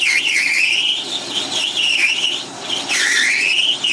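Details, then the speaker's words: MX-210V small lathe running in reverse with an inverted spring-style HSS cutoff blade, set to 450 RPM and aiming for around 200-300 RPM under load, parting off brass: wavering high squeal rising and falling with feed; normal brass cutting sound, not chatter. "now that's not chatter that's just the sound of brass brass cutting off just sounds like that"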